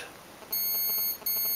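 A thin, high electronic beep pattern from the motor marks the speed controller's restore-defaults setting.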